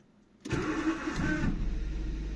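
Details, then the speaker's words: 2002 Nissan Micra K11 1.0 litre manual petrol, restart after fuel filter replacement: short crank with rough whirring starter note, catches within a second and settles to idle; owner says the starter motor is noisy and worn and will probably replace it. "Yeah, like I said, I've got a bit of a noisy starter motor. I'm probably going to change the starter motor as well because that's seen better days."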